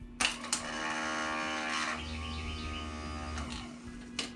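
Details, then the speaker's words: Kawasaki-engined Exmark Yazoo Kees zero-turn mower, new replacement starter spun off the engine: steady, even electric whir at one pitch with no grinding; smoother and stronger than the old starter, sounds healthy. "to me the new one sounds better it sounds like it just sounds a little smoother more solid when I rotate it it feels like it has more of a resistance maybe from the brushes like it's just a stronger starter"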